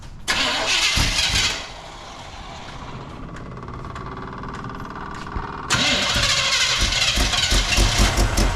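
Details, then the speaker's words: 1975 GMC Jimmy V8 that was running on 6 cylinders when acquired; oil pressure is good and there are belt issues. It cranks and catches, then settles into an uneven, lumpy idle and surges again. Rough running, likely missing on some cylinders. "It is not running correctly at all. When I first got it, it was running on 6 cylinders."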